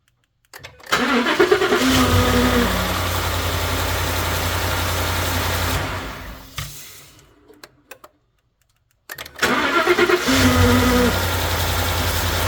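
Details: Ford F150 5.0 on a cold start: the engine cranks and catches, then a steady high-pitched whine rides over the fast cold idle; source unclear, possibly a belt-driven accessory.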